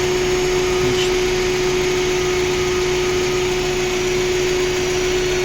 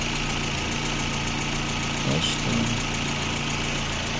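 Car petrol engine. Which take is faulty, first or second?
first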